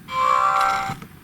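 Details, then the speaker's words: GHD Chronos S8M261 hair straightener switching on or off: brief high beep with a buzzy crackle, design fault where the buzzer sits touching the on/off button, which vibrates; holding the button gently stops the noise. "See, they've still got that crackling, vibrating noise from this switch being too close to the buzzer."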